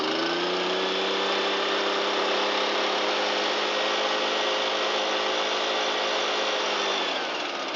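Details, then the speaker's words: Shindaiwa EB802RT after fixing backwards-installed replica carburetor and fuel hoses, used base gasket: choke off, light throttle, steady high-pitched two-stroke drone, smooth with no surging; runs normally. "Carburetor is responding. Turn the choke off and give it a little throttle."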